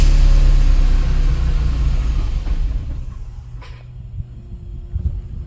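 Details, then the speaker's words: Opel Astra G SRi, Z22SE engine: heavy low rumble fades over about three seconds until engine stops when given throttle; throttle butterfly works, misfiring engine stalling. "now when you try and give it berries it just dies"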